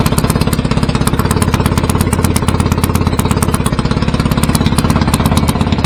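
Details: BSA A50 Royal Star twin, bought as a non-runner, at first start after restoration with pattern exhaust: loud, steady but slightly uneven fast idle. Needed throttle to fire; owner suspects timing slightly off and plans a strobe check.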